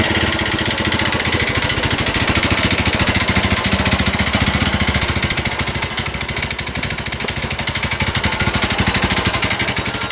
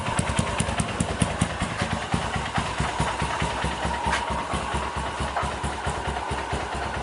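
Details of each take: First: Honda New Megapro carbureted single-cylinder, bored up to 61 mm with a KLX 61 piston, after overheating: rough idle with a harsh, uneven clattering friction rattle on every beat. The piston and bore are damaged; a BRT 200cc kit is awaited. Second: 2010 Honda Mega Pro carburetor bike, freshly built with a BRT 198cc bore-up kit: an even, steady single-cylinder beat with no knocks or rattles, sounding healthy.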